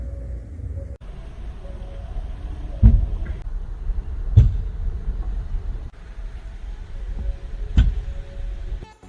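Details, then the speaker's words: 4th-gen Kia Sorento hybrid: three dull thud/clunk sounds from rear underbody when moving off in first after stopping, reversing from stop, and going forward after reversing, on brake release; suspected rear brake caliper issue, unconfirmed. "다음은 하이브리드 밑에 하부에서 덩 소리, 퉁 소리, 쿵 소리입니다."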